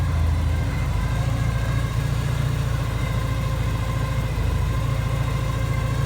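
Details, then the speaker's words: Porsche 944 after return from the mechanic, previously smooth: low idle surges and dips unevenly every few seconds instead of holding an even beat; owner calls it jumping and missing, cause unknown. A new whine from the engine was also noted. "It's like jumping and missing. Oh, not missing, I don't know what you call it."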